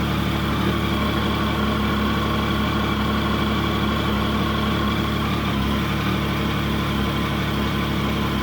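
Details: Triumph Sprint GT 1050 after fresh oil, new air filter and new exhaust, first start: smooth, steady idle with an even low beat, no ticking, knocking or misfire; healthy.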